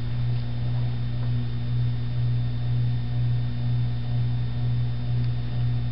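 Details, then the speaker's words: 1987 Air Cool 52-inch ceiling fan with newly replaced capacitor meant to suppress the hum, running on medium: steady low hum pulsing about twice a second; noticeable motor hum remains. "I just put a new capacitor in it so it shouldn't hum as much, kind of suppress the hum."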